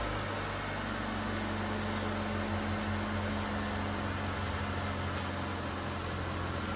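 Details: 2002 Mitsubishi Lancer at first start after installing a new catalytic converter/header with new gasket: steady, even low hum with constant pitch, no knocks or misses; smoothly idling engine, slight smoke from the new gasket.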